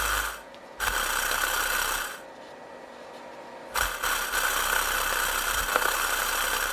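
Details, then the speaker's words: Dual-voice-coil subwoofer tested live on an amp, wired on the remaining voice coil: bursts of buzzy rasping distortion with almost no real bass; the other voice coil is burnt, sub blown. "so it's still kind of making bass on the other voice coil but you can obviously tell that something's wrong"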